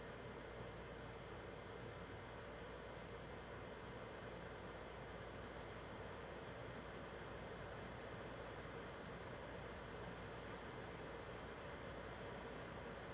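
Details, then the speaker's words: PS4 Pro 3rd gen 7215B, only dusted, no new pads or paste, during taxing game opening cutscene: soft steady airy whoosh with even pitch, no rattle, grind or whine; normal console fan noise under load. "I mean you'll be able to hear it's not you know it's not insanely loud because it's the third gen"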